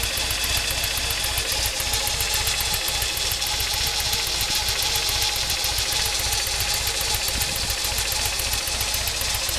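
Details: Toyota 22RE engine warm at idle: bright fast ticking clatter with uneven lumpy beat, idling slow and sometimes dying; cold idle good, drives fine; distributor recently cleaned, Seafoam sprayed in throttle body; cause unknown.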